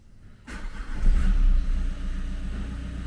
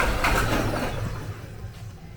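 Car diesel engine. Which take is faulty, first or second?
second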